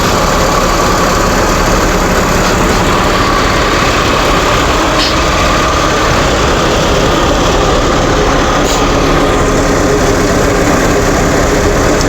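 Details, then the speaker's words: 1995 Mercedes-Benz C280, 25 years old, stock and well maintained, idling with hood open near the engine: smooth, quiet six-cylinder hum with no ticking, knocking or hunting, healthy idle. "really nice and quiet it doesn't make too much noise if any at all Wow normal Cardinals car noise it's really really well maintained"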